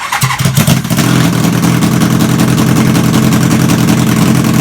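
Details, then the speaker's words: Half-scale NASCAR go-kart with the 750cc engine from a 1980 Honda CB750C, on new dual 34mm Mikuni carbs with pod filters and open headers. Started with chokes on, it idles loud, fast and busy and never settles. A teacher thought it a lean condition. High idle with choke on. "as you guys just saw, when the chokes were on, it was high idling like crazy. Like in the video, it doesn't sound that high, but it was high idling. It was so loud."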